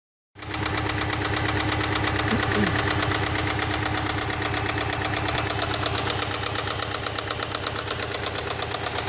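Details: Subaru EJ206 engine running evenly at idle: sharp metallic knocks, nearly three per second, ticking evenly over the idling flat-four; clear engine knock, source not identified.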